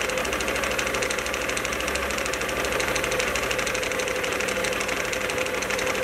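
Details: Can-Am Outlander 1000 XMR: rough, irregular knocking about three a second over a raspy idle. Something is banging around inside the clutch, and the drive clutch isn't spinning fully. Cause suspected, not confirmed.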